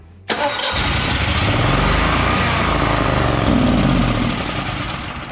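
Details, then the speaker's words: Generac XG10000E portable generator after two years unused, carburetor rebuilt, fuel solenoid replaced and sooty spark plugs cleaned: it catches with a roar, runs rough for seconds, then fades out. Starts then stalls. "you know when the chokes on it'll start just for a second but it will not continue to run you can hear it it starts to fire and then nothing"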